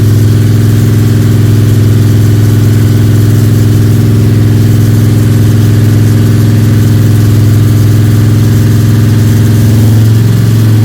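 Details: Freshly built 302 Cleveland V8 with a Holley Sniper and electronic distributor, about 20 minutes into cam break-in with occasional revving: strong, even note with smooth blips and a clean return. Running normally and sweetly.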